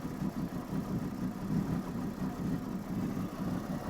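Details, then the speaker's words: 1993 Ford F-250 460 V8, sat three to four years: idling very low and lumpy with wandering uneven pulses, missing; goes into limp mode in gear; fuel pump runs continuously, computer (PCM) issue suspected. "so idling really really low if you put it in gear it goes into limp mode you can hear how bad this thing is running"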